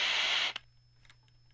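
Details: Hitachi K-2400 TV/radio/tape combo, after contact cleaner on the pots and switches: loud hiss cuts off abruptly to near silence with a faint low hum; the radio tuner pulls in no station, only noise.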